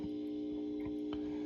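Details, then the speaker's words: Velodyne HGS-18 subwoofer plate amp, powered up into a test 8-ohm speaker: steady low hum, possibly 60 or 120 Hz, with faint ticks, arriving after a delay; power-supply pickup suspected, not confirmed. "maybe it's just normal pickup that's funny that's pretty power supply sounding"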